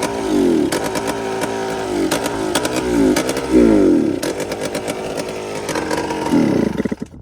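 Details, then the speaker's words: 2001 Yamaha Blaster two-stroke ATV with Toomey exhaust, on choke: revs in repeated bursts then sags and stumbles, never holding speed; owner suspects the throttle override system (TORS) is killing it, possibly sucking air. "You know what? The Taurus might be killing it because of that. The Taurus is killing it."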